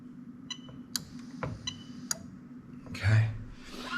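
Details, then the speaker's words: Toyota Crown 2004-09 3UZ-FE VVT-i harness on bench, scan-tool active test: crisp single clicks, about five in two seconds, as the fuel pump relay is switched on and off; relay working normally. "okay and you can hear the relay clicking just turn it off and on a few times"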